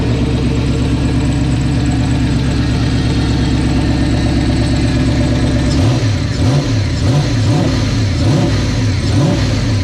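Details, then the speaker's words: Engine started after rebuild: steady idle beat, then revs rise and fall unevenly; it runs but still needs a tune. "Alright guys, so we got this turd back together. No, it's not turd. Actually came out pretty good. I'll go ahead and start it up for you."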